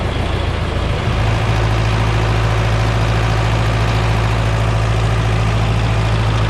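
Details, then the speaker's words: John Deere 3010 diesel tractor with eight-speed Syncro transmission: even low clatter at about three to four beats a second, no misses or knocks; healthy idle after a front rattle was fixed. "things are looking good so that tractor sounds really nice"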